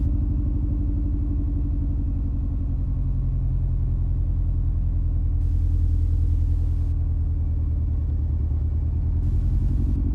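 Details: 2003 Mini Cooper S R53 supercharged (prefacelift), cold start: it chugs unevenly with a lumpy misfire and the check engine light comes on. Caused by a bad tune plus a rusty coil terminal; often cleared by restarting.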